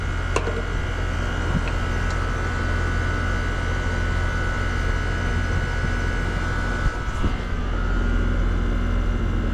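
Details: Goodman heat pump, newly replaced R-410A compressor: deep steady hum with even fan drone, no rattles or clanks; running smooth and settled. Charged 146 oz (nameplate 140), head 258, suction 150, 3° subcooling and superheat, 78°F outside, 74°F inside.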